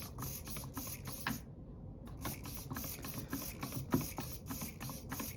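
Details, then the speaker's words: Upgraded Axial SCX24 steering servo gives quick, crisp whirring sweeps with no buzz at center. Material was trimmed away so the servo no longer hits and labors to center as it did before. "that Servo seemed to be pretty quick"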